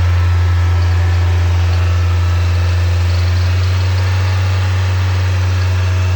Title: NB Miata 1.8 VVT possible rod knock?